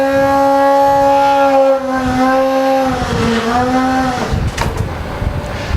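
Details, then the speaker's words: Skeeter brush truck pump priming: all valves closed, suction valve open, electric primer handle pulled, key on or truck running; steady buzzing primer drone dips in pitch, then turns to rougher rushing as water comes up the draft hose, an audible change meaning the pump is primed. "You'll hear an audible change in the primer, and that's when you know you have a prime on your pump head."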